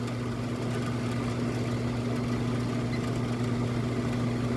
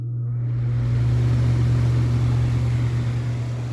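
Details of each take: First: Mid-1990s Vornado 280SS 10-inch three-speed desk fan on high speed, drawing about 1.41 A: a constant low buzz with light plastic chatter. The rattle comes from two broken spiral grille spokes; the motor itself is nearly silent. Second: Mid-1990s Vornado 280SS 10-inch three-speed high-velocity desk fan, front bearing oiled and rear not, started from zero: low steady motor hum with rising air rush as the blades spin up; smooth, even start with no rubbing or rattle.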